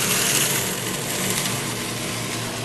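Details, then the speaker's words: Pump in a cavitation demo with an acrylic tube: the rock-like rattle of cavitation eases as the suction valve is reopened and suction pressure rises, ending bubble collapse and leaving a steady, normal pump hum. "that increases the pressure on the suction side of the pump less and less vacuum until we no longer flash and we no longer cavitate and that's a happy pump"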